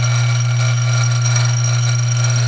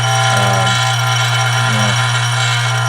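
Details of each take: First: Dillon RF 100 auto primer feeder after fine-tuning the vibration adjustment about 1/8 turn with the top removed: even, steady low hum with no rattle, much smoother and quieter than before; normal operation. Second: Dillon RF 100 auto primer feeder with too little spring tension and the rheostat cranked up: loud steady electric buzz with rattling chatter as the feeder over-vibrates, primers backing up and jamming at the feeder tube.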